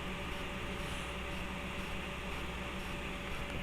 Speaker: Now, obviously, you can hear how loud everything is at the moment. That's with all the fans on high.